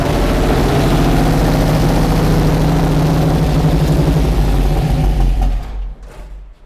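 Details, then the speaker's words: 1988 Ford Fox body drift car with Sniper fuel injection, after correcting the distributor position and adjusting timing: lumpy idle that stumbles, leans out and dies within seconds; cause not confirmed. ">> Yeah. It's just leaning out and then dying."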